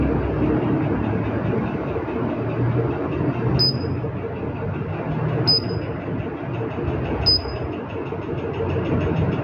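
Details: Treadmill showing error code E-02: loud, steady mechanical drone from the drive motor with a short high beep about every two seconds; noisy motor, cause unknown.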